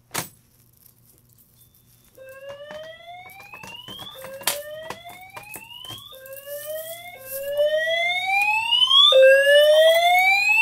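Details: Simplex 4010 fire alarm panel multi-tone horns after pulling a 4099-9006 dual-action pull station: repeated rising whoop every couple seconds, growing louder; normal horn sounding.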